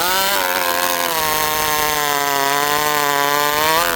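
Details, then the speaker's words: Stihl 064 chainsaw holds a high buzzing run, then pitch sags and warbles as it returns slowly to idle; owner unsure of mixture, slow return suggests lean but it sometimes stalls as if too rich. "Okay, so right there, without going too far into it, you can hear the saw kind of warble as it comes down to idle. Okay, so it's coming down to idle a little slow. Tells me it's a little lean, but then other times it stalls out because it seems like it's too rich."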